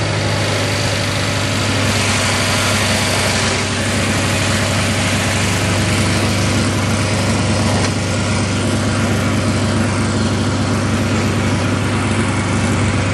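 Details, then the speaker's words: Craftsman GT6000 mower with Kohler V-twin, running on a test dummy gas tank after fuel pump and carb rebuild, governor not hooked up: runs hard, steady and smooth at a high, unchecked rev with audible sizzling. Owner worries about blowing a head gasket. Overspeeding. "Wow. I probably should look into hooking up the governor before I blow a head gasket. Hear it sizzling."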